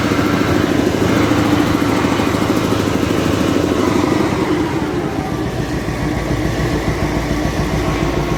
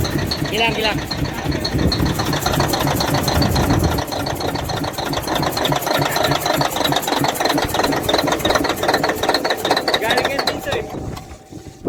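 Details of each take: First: Caterpillar 988F2 wheel loader diesel after repair of the cylinder 5 injector (broken hold-down bolt, damaged seals, fuel leak causing black smoke, hard starting and knocking): even, steady idle with a firm low rumble, no knocking or missing. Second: Caterpillar 988F2 diesel with hard starting and heavy black smoke, running with a hard rhythmic knock: the cylinder 5 injector hold-down bolt was broken, letting the injector pop up, damaging its seals and leaking fuel; this was then fixed and tested.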